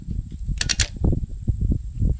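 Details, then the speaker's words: Ryobi RM480E 48V riding mower: three quick sharp clicks as the key turns and nothing spins; one battery reads 12.7–12.8 V at rest but its voltage collapses under load, so the solenoid clicks. The fix is replacing the battery. "That's not right. So, the voltage collapsed. So basically instead of a battery I have a giant resistor here."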